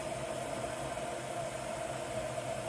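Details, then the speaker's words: LG washer after replacing a bad drain pump that had caused an OE no-drain code, on a hot wash: a steady, even whir with a faint mid-pitched motor hum and no knocking or grinding; the wash cycle runs normally. "It made it through the load sensing and is now in the wash cycle, so that's a good sign. Water's filling. Everything is spinning."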